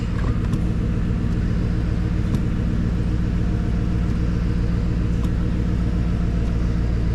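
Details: GMC Yukon V8 started after brake booster replacement, checking for leaks: deep, even idle rumble with steady beat and no knocks, ticks or whine; idles healthy, no leaks found.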